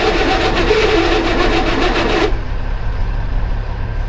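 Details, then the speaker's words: Auction-bought machine with no oil showing on the dipstick: the starter churns slowly and unevenly for about two seconds without catching; hard start, engine fails to fire. "all right this one's clearly not loving life nearly as much let me grab some ether"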